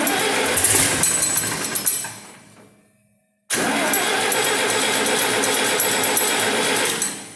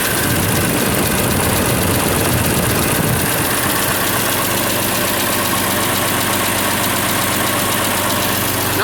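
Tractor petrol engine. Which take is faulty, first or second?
first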